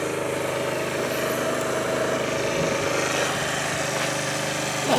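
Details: 2013 Italika Sports City 50cc moped revived after five years sitting, reassembled: fairly steady buzzing idle with no stumbling or dying out; running fine now.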